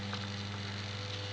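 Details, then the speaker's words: Homemade US-mains moving planet clock, with one motor driving the ring and planet rotation and a transformer for 12 V LEDs: a steady low mains-pitch motor buzz and drone. The builder suspects the supply voltage. "I know there's a lot of buzzing noise from the motor but I think it's something to do with the the voltage going into which is kind of"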